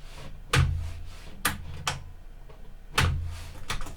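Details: Sony TC-K61 cassette deck after flywheel-side rework, 3 mm belt and weak magnetic clutch issue, test play: hollow uneven clunks about a second apart, nothing running between; transport fails to start play initially, then works.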